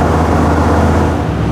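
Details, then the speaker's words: 1988 Centurion Bronco V8 after a camshaft replacement with new flat-tappet lifters, rockers and double-roller timing set, break-in run held around 2000 rpm (1500–2500): a steady, even run with no lifter tick, knock or miss; normal. "no ticking either that's nice I'm just fluctuating it you know staying around 2,000 bumping up to 25 drop it to 15 and back to two right in that ballpark"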